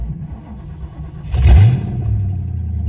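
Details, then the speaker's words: Ford Mustang GT V8 after 8.8 rear axle rebuild (mini spool had disintegrated), running on open headers with mid-pipe off, check engine light on: catches with sharp rev burst then loud, lumpy, uneven idle; running rough, "oh that sounds rough." "oh oh that sounds rough does it move"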